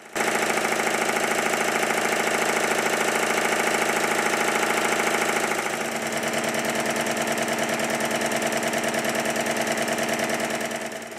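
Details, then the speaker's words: Stuart triple expansion model steam engine running on the high pressure cylinder only, valve gear moved to reverse: quick, lumpy chuff near two beats a second with uneven pulses; the eccentric setting is a compromise for both directions and won't run right in reverse. "to attempt to make the engine run in reverse that is impossible it just doesn't feel right"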